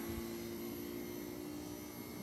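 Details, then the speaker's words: 20 hp VRV AC, first ever compressor start during refrigerant testing: a steady, even hum with clean tones and no knocking. Healthy start-up. "Compressor started up. This is the virgin start of the VRV."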